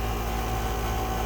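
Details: Central air-conditioning compressor (not a heat pump) with a broken internal valve plate, sounding like a rock inside: steady low hum with a coarse, rough undertone; suction line hot, liquid line cold, barely pumping.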